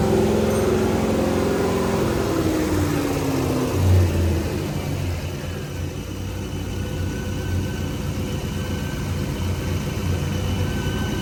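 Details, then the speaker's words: BMW E30 M3 that was run without checking transmission fluid, restarted after capping a vacuum port: the engine revs with a falling whine and a low uneven drone. The noise persists but is quieter; owner fears the transmission, not confirmed. "Oh gosh. It's still making the noise, but it's quieter. I sure hope that's not my transmission."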